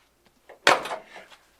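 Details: Fox-body Ford Mustang (79-93) door closing on new Daniel Carpenter door-to-body weatherstripping: one clean solid thud, no squeak or rattle after; the new seal closes properly, with less resistance and a slight throw.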